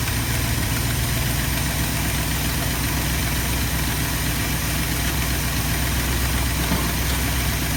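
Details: 1972 Ford F250 with 360 V8 and four-barrel carburetor, after a Pertronix Flame Thrower II distributor, coil, cables and plugs install and idle mixture screw adjustment: steady, deep, even rumble with a smooth lope and no misses or ticks; normal idle.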